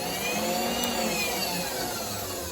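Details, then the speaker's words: Precision Matthews PM-25MV mill, new X-axis power feed before guard fitted, running with speed control and rapid: high even motor whine, steady speed, no grinding; clutch click on engage and direction change is normal. "flip her on you can go forward you got your speed that's like a clutch The Click that's normal"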